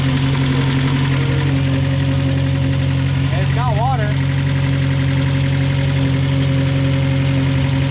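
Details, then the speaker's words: Cheap field-recovered Mazda Miata with aftermarket cam, long-sat, started on weak battery: uneven lumpy idle, irregular pulse and low drone, heavy tailpipe smoke and burning smell; seems to run on about two cylinders, suspected, not confirmed. "I think he's only running off of like two cylinders right now yeah it sounds like sound like the idle is really weird"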